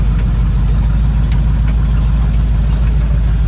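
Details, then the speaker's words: Chevrolet El Camino with upgraded V8 after setting timing, idle and carb mixture screws, with a new alternator wire and charging at 14.5 V: a deep, steady, even idle rumble with some exhaust leaks audible; a normal, healthy idle. "She's got a couple exhaust leaks. I'm sure you guys can hear those. But she's a certified ripper now. Listen to that baby purr."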